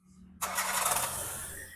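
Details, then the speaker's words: Engine first start after full overhaul (new pistons, rings, bearings, timing belt, water pump, radiator, serviced injectors) and upgraded throttle body replacing a faulty one: quick crank, catches at once and runs evenly; throttle response good. "Respon timing memang cantik. Memang cun lah kita ni."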